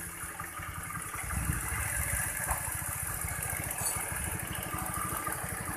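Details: Honda Vario 110 scooter after adjusting carburettor air screw and checking ignition for hesitation on initial pull-away: small single putters at an even idle, picks up briefly, then settles without stumbling or dying; idles normally.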